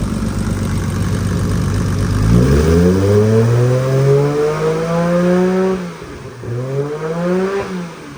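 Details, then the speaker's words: R32 GTR with crank angle sensor reconnected and ECU rebooted: engine catches, revs climb and drop back smoothly, clean even note, no knocks or rattles; healthy warm-up before dyno tune. "got running sounds good I'm just letting it warm up then I'll check the level of the oil and see where it's at but it sounds super good"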